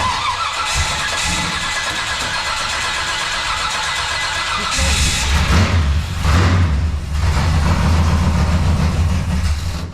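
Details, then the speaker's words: Barn-find 1966 Corvette L79 327 after its ignition points were sanded: hiss and a few seconds of cranking, then it fires quickly and settles into a steady, even idle with a deep low rumble. It sounds healthy. "All right, guys, you heard her fire right up. It actually fired real quick after we sanded the points on this thing."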